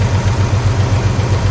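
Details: Ford 300 inline six in a 1981 Ford F100, before rebuild, dusty and rarely started: steady low idle with a light, even ticking at engine speed from a rocker whose press-fit pedestal mount pulled out.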